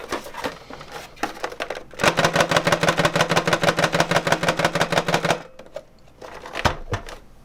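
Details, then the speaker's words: PS2 console with hard drive fitted without a caddy: fast, even clattering about three raps a second through the console, trailing off; the drive sits loose and unstable in its bay though still working. "now keep in mind the hard drive is all still fine but it's not super stable in there"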